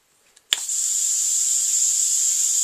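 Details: DLX Luxe 2.0 paintball marker when aired up: a sharp pop of air, then a steady high hiss that keeps running, from a leaking solenoid.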